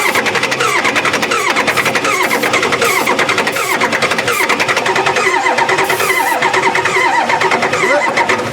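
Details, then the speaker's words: Four-door Bronco that sat about six years, with old fuel. The starter churns at an even cranking rhythm for several seconds and it never fires. Crank no-start from an injector fault: the injector was disconnected, with its fuel line off. "that's a starter wire yeah it cranks um doesn't sound like it's getting fuel right"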